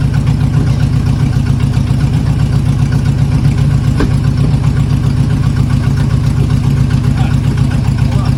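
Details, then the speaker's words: 1980 Chevy K30 Squarebody with a small-block 350, running and driving for the first time in years. It has a deep, loud idle with an uneven beat and a lope every couple of seconds as one cylinder drops out; a misfire at idle. "Oh, it's got a misfire now. Nothing's on fire. Nothing's on fire. It's just misfiring, that's all."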